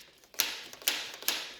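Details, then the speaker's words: Triumph T595 after G2 Quick Throttle install, with only slight throttle free play set. Three crisp light clicks about half a second apart as the throttle blades snap closed from wide open; free, normal snap-back. "hear that click that's the throttle blades closing yep everything's cool there wide open hear it click again that's wide open that's closed"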